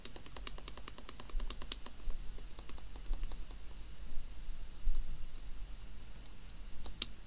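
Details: HHKB keyboard after lubing the metal spacebar stabilizer and plastic sliders with Krytox GPL 205g0: even typing with firm, clean strikes and no buzzy rattle on bigger keys; stabilizer quiet and healthy.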